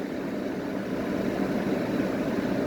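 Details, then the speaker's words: 1985 WCI 5K window air conditioner (possibly a universal fan motor), running in a bedroom on high fan: a steady, even rushing whoosh with no knocks or rattles. It is louder than usual for these normally quiet units but sounds healthy. "It actually makes some noise on high fan, which is kind of unusual for these units. These units are normally not very loud."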